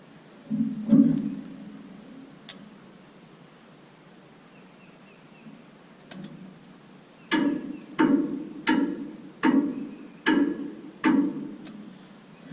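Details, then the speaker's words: Galion T500 motor grader, sitting unused since 2007 (14+ years), on a temporary battery: sharp single starter clicks about every three-quarters of a second with no cranking; starter cable found loose, its nut apparently missing. "Alright, so I tried cranking on it a couple times and it was just clicking, and I saw that this wire right here was just kind of sitting on there. I guess the nut on the back fell off or something,"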